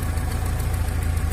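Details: Car with the engine under the seat, running after installing the battery: steady, even low rumble with a smooth idle beat and no knocks or misses; normal idle.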